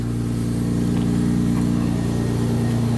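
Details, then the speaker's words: 1999 Honda Accord V6, about 280,000 miles, after fixing a crank-no-start without parts, warming up: steady, even idle with a smooth low pulse and no knocks or stumbles; running on all cylinders, oil leaks noted. "running it all cylinders we've got oil leaks"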